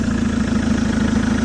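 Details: Chevrolet Captiva diesel after full turbo, fuel-line and exhaust-path cleaning for heavy pull and smoke, exhaust not yet refitted: smooth even idle with a steady rapid beat, no misses or knocks; running normally.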